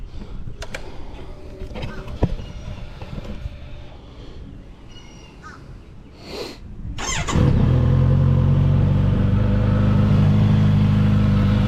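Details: Kawasaki Z900RS after its first oil change following break-in, new oil and filter fitted and level checked: quiet at first, then the engine cranks, catches and settles into a steady, even idle with no knocks or misses; sounds healthy.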